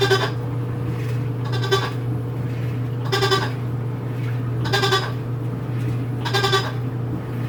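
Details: New Whirlpool washer WTW4816FW: every second and a half a short nasal bleat-like moan rises over the steady wash hum; repeated bleating noise during wash, cause unknown, owner unsure if normal.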